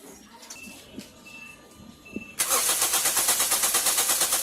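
A brief crank, then the engine catches at once and settles into a smooth, even idle; this is a normal quick start.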